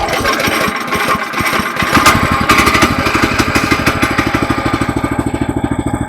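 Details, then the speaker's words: 18-inch DK2 gas trencher with a small single-cylinder petrol engine, started on choke which is then released after sputtering: settles from an uneven start into a steady, even putter, ready to dig. "So, now the engine is running and uh we're ready to dig."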